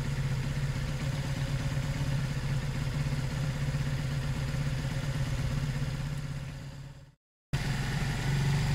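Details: Zontes 125 single idling on choke after a fuel tank flush (tank had rust, twigs and water; carb previously blocked), warming up: steady low thrum, even beat, briefly cuts then resumes; sounds healthy.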